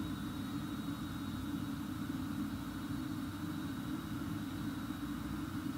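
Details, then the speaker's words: 2018 VW Transporter T6 Webasto ThermoTop Evo parking heater warming to temperature, remote-started, cabin fans blowing hot air at maximum: quiet steady low drone with faint constant high whistle, no surging or rattles; normal. "so all that noise at the moment is your Roboto heater firing you've got your fans pumping out hot air"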